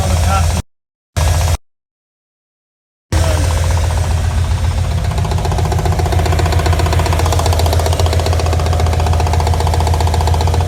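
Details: RX7 engine: a steady, heavy knock at roughly 220 a minute over a deep engine drone; engine knock, cause not identified.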